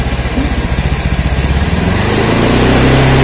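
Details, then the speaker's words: 2016 Honda Scoopy (K44) scooter, used daily, running on used Shell Advance oil: single buzzes evenly at idle, then revs climb smoothly to a steady higher pitch with no misses or knocks and no smoke; only body panels vibrate; healthy revving. "Biarpun saya gas, enggak ada keluar asap. Enggak ada keluar asap sama sekali ya. Tuh aman. Enggak ada masalah."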